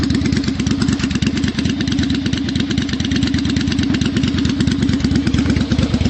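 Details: 1992 Yamaha Virago XV750 V-twin with slash-cut Jardine Rumbler pipes with baffles and Dynojet stage 1 jets, mixture screws adjusted: even lumpy beat at steady idle, regular pulses, no misses, knocks or rattles; normal idle.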